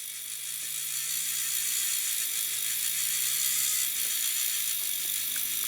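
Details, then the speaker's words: Second 3D printer pen, top-fed with blue PLA, which took longer to heat up: it grabs and feeds the filament, but its feed gears make a loud, fast, uneven ratcheting rattle. "It's literally grabbed that and it's feeding in. Took quite a bit longer to heat up than this one. It also sounds a racket."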